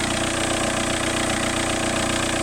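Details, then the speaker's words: Seat Inca engine idling: fast, busy ticking clatter following engine speed, really bad with an ear at the intake; top-end noise. "you put your ear to the intake it's really bad"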